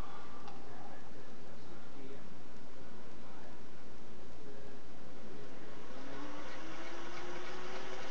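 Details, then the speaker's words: Singer Model 401A sewing machine, run with the foot pedal pressed by thumb at varying speed. Quiet, even motor hum whose tone climbs as speed picks up, with no knocking or grinding; runs fairly quiet and healthy. "This is just a demo of how it runs. Speed variation. You should hear that it's fairly quiet."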